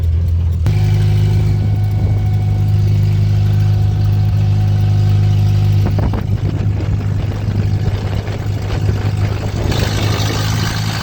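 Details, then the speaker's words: 1956 Willys Jeep CJ5 on a test drive after a full reconstruction: a loud, uneven low rumble with an open, unmuffled bark and a lumpy beat plus a grinding sound, which is less than before. "That grinding sound normal? It's actually less than it was before."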